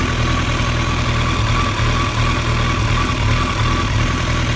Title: Rough Idle